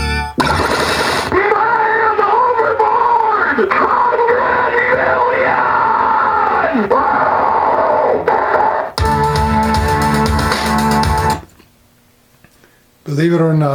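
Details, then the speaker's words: 1992 Williams Whitewater pinball after replacing bad blue capacitors on the sound board, test mode: clear low-sample-rate 8-bit music and voice samples with no hum, crackle or dropouts; sound board working normally. "what the sample sounds sound like are supposed to sound like they're 8-bit they're probably using a real low sample rate because there's no compression on these needless to say this is not an audiophile's dream but this is what the machine is supposed to sound like"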